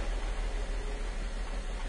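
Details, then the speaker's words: Car engine warming up during a scope compression/valve timing check. Low, lumpy idle with an uneven stumble in the pulses and no sharp knocks; an audible misfire from a dead cylinder. "yeah you can definitely hear the engine miss let's go ahead and stop that and turn the car off"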